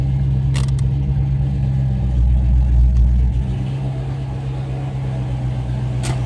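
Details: 1980s Ford Mustang Fox body, carbureted 347 stroker V8, TKX 5-speed, after fuel tank installed: steady even low rumble with smooth lope, no misses or knocks; normal idle.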